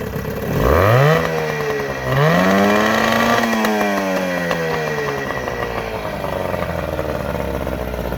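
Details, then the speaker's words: 9.9 hp Johnson two-stroke outboard after carburetor and fuel system work, new thermostat and cover, impeller okay; electric start, shifts through neutral and reverse, then revved hard: crisp buzz rising twice to a high scream, settling cleanly, slight smoke; runs healthy. "got all the four neutrals in reverses she runs pretty damn good give her some beans"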